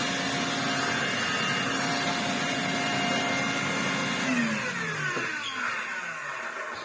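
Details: Restored Electrolux Z504 vacuum with motor mostly sorted, running on a stiff rug; steady motor whine and brush hum, pitch sagging slightly under rug load; runs smoothly and sounds good.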